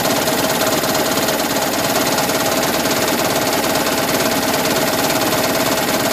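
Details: 2010 Toyota Prius idling with AC on while charging the HV battery: fast rattly knocking under the engine note that starts and stops with charging; also repeatable at 7–30 mph under heavier load, not at higher rpm.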